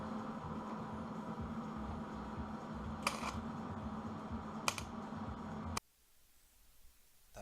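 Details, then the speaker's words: MIG welding burn-through on a 240Z driver door, filling a small mirror-screw hole; the raised metal was ground flat, leaving it too thin, so the bead burned straight through: steady arc crackle, two sharp pops, then the arc cuts off. "sound you hear in this section that's what it sounds like when you burn through so I'm trying to weld a very small hole shut but it had been thinned out because it was raised"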